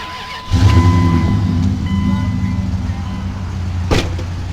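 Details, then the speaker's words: Dodge 5.9 V8 after replacing the whole intake and reworking the heads, fixing a misfire from cracked valve seats between cylinders 7 and 8 and oil intake: cranks briefly, catches cleanly, settles into steady even idle. "runs beautiful now as they replace the whole intake reported um supported and polish all the hex to like a new heads on it"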